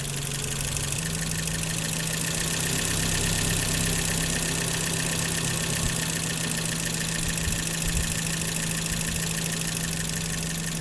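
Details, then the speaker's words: 1984 BMW E30 318i after cleaning the idle control valve: steady low hum with a slightly uneven lope, idling lower than ever before; owner suspects the valve was stuck and wonders if timing is off. "that is really interesting I've never had it idle this low so maybe it was indeed stuck"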